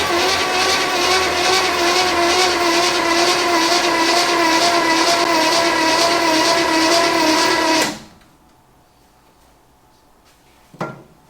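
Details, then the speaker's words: 1964 Chevy Impala 283 V8, off the road 28 years, starter nose cone broken and poor battery cables: labored, even cranking about three turns a second for roughly eight seconds, too slow; cause suspected, not confirmed. "don't sound good i need spinning fast but it's spinning i suppose"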